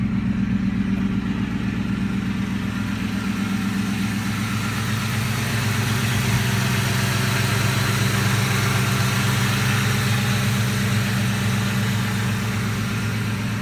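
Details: 2003 Ford Mustang GT V8 after small adjustments, missing bolts and nuts added, ground wire repaired: deep steady idle burble, even pulse, no knocks, misses or hunting; runs great.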